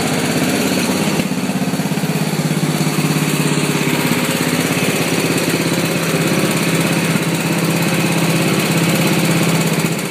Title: Misfiring mower